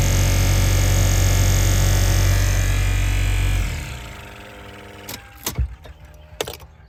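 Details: Lexus GX470 blower before repair, climate control on: loud, steady low roar like a jet taking off that winds down when switched off. Blower obstructed by a squirrel or mouse nest, later removed.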